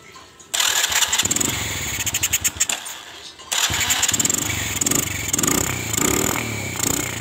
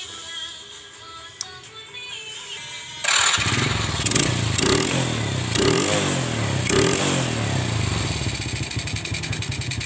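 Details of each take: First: disini posisi mesin terasa berat yang suaranya terasa berat dan terasa mbrebet sekali Second: Old Honda Supra carburetor motorcycle after carb idle and air-screw adjustment and spark plug gap check; single settles into steady, even putt-putt about four beats a second, no misses; clean idle.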